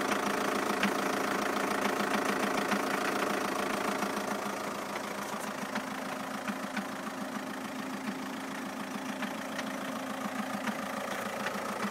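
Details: 2007 Skoda Octavia II 2.0 TDI (believed to be BKD) at cold-start idle, appearing after a few minutes of idling; clutch and dual-mass flywheel were replaced days earlier: even clattery knock three to four times a second; owner wonders about balance shafts, unsure.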